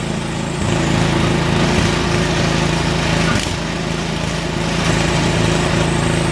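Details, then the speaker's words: Toro snowblower small single-cylinder engine, restarted after carburetor cleaning, choked and primed; holds a steady, even putter with constant low drone and no stumbling, running clean. Owner unsure whether it should shut off when throttle is turned all the way down. "she runs i don't know if it's supposed to shut off though when i turn it all the way down"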